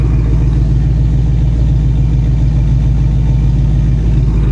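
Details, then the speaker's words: Foxbody Mustang GT V8 at idle: deep, steady burble with even lope and no ticks or knocks; healthy normal idle. "Listen how good it's running. Will you listen to that? She's so happy right now."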